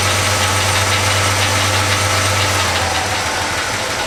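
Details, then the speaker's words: Chevy C10 pickup V8 first start after a full wiring harness replacement: even, steady idle rumble with no misses; belts squeak slightly and a rocker arm on cylinder 5 or 6 needs adjustment. "well it seems as everything is working actually I have to admit I think it's running better than it did before it needs a little bit of tune-up"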